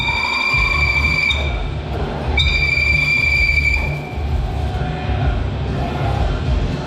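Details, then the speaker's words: Bed mill countersinking holes in a hub part after 1/8" drilling: sharp, sustained high-pitched squeal over the spindle rumble, chatter caused by the very long tool; spindle speed is to be turned down. "Most of that noise has come from the fact that tool is so long. Let's turn our spindle speed down a little bit."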